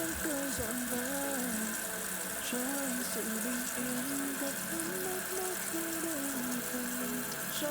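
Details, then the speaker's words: Toilet fill valve that hisses and screams, after the valve was replaced, water level set too high: steady rush of water with a wavering whistle that never cuts off, float never shuts the valve; fix is lowering the level by turning the adjustment screw. "看，它这样永远都起不来了，所以你必须得找螺丝刀把它拧一下，把这水位调低一点。它因为它这样水位上不来，它永远都弹不起来。"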